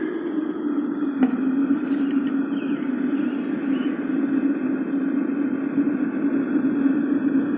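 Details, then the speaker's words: Homemade aluminum melting furnace burner running outdoors in a breeze, possibly not at full efficiency: continuous steady roaring hiss with a slight gusty wobble; burner firing normally. "So, crucibles, burner, a little breezy out here. It's probably not working as good as it could, but yeah, it's working."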